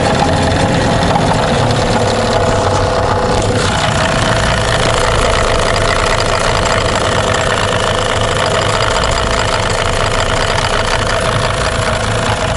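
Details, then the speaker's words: Tohatsu M15 outboard, camera inspection found no cylinder scoring: loud rattly idle with a light repeating tapping knock at low rpm that disappears with a little throttle; suspected worn piston pin. "так вот тут будет на малых идет характерный сучок такой неприятный дрожь по спине да да вот чуть газу добавляешь он пропадает"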